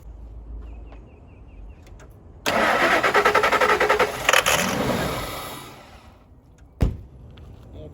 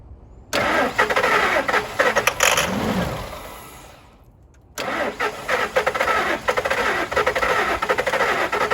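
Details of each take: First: 1999 Ford F250 Super Duty, EFI, sat in a mud hole 9 years, will-it-run test on sprayed starting fluid: long crank then short rough burst of firing that fades and dies; not fuelling on its own, cause suspected, not confirmed. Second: 1999 Ford F250 Super Duty utility truck, EFI, sat in a mud hole for 9 years, first start: cranks, catches, dies briefly, then steady idle with no grinding or hissing; oil pressure primes, slightly slow until oil warms.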